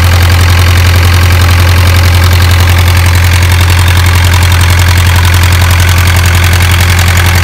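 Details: Isuzu 4BA1 85 hp diesel coupled directly to a 5-inch single-impeller pump irrigating a 20-rai durian orchard, pushing water about 800 m uphill; steady, even clatter over deep constant drone, no misses or knocks; normal healthy running under load.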